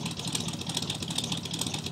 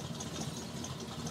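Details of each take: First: 1985 Chevrolet pickup, carbureted with electric choke, cold start around 30°F after three weeks sitting: low high-idle with a steady, slightly lumpy pulse that sounds near stalling but evens out as the choke opens; normal cold idle. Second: 1985 Chevrolet pickup, carbureted with electric choke, cold start around 30°F after three weeks sitting: fast, uneven, lumpy cold high idle with light rattle, nearly dying; rough cold high idle. Owner suspects something missing off the carb; unconfirmed.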